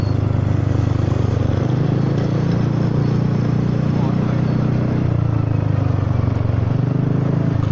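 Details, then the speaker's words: Honda Forza 300 scooter riding at up to 80 km/h: loud, deep, steady exhaust drone with a throaty pulse, much louder than its usual soft note; the baffle insert has slipped inside the muffler; the rider holds back for fear of damaging the engine. "ฟังเสียงท่อดูมันผิดปกติขนาดนี้คงมีอารมณ์พุยนะ"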